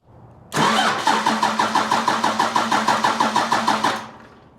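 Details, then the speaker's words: 1995 Dodge with 12-valve Cummins diesel, hotwired at the starter solenoid. After the negative battery connection is tightened, the cranking is strong and even at about three compression beats a second; no fuel yet. "That's much better. Much better. Well, at least now if we're up here, we can see if it starts getting fuel."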